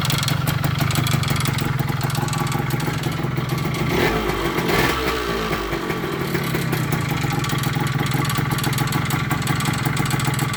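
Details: 1998 Kawasaki KE100 two-stroke cold start after sitting several days, everything cold; fast, light ticking from the cylinder over the idle putter, dipping briefly mid-clip, owner unsure of cause.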